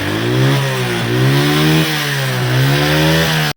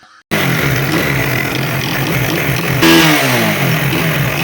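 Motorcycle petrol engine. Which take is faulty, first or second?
first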